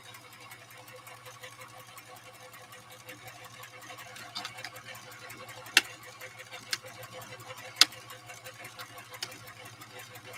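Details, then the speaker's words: Sewing machine at first power-up after unboxing: quiet, steady low hum with light irregular ticks and no grinding or metal-on-metal clatter; sounds in fairly good condition, though an odor comes from the rear motor. "The machine, all in all, sounds like it's in fairly good condition. It doesn't sound like I'm hearing a lot of metal to metal."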